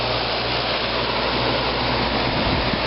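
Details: 1995 Fedders window air conditioner, never serviced, heard outside near the slightly rusty compressor: steady, even hum with a low drone underneath, no knocking or rattle; compressor running normally.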